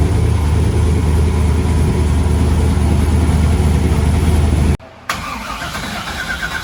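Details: Freshly installed replacement LS1 V8, first start after the old engine threw a rod through the pan, fuel system primed: catches on the starter and settles into a steady, choppy lope at idle, no clatter; healthy cammed engine.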